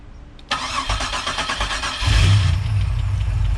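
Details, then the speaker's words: Bonneville SSEi on the first start of a new L67 swap with a ZZP VS cam, intercooler, ported M90 supercharger and new tune, started with a jump box. A brief crank, then it catches quickly into a smooth, steady idle; oil pressure is high, and a tapping noise, possibly lifters or the balancer, is suspected afterward. "nice that sounds really smooth it sounds different yeah like different than it ever has"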